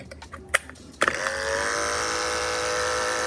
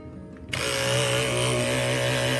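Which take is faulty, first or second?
second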